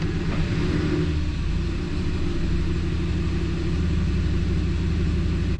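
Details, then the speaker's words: 2003 Ford F-150 5.4 L after idle air control valve replacement, in gear: steady, even low rumble with no hunting, surging or stumbling; idle much better and stays running, unlike before when it died at stoplights. "Idle's much better. Stays running, obviously that's a bonus."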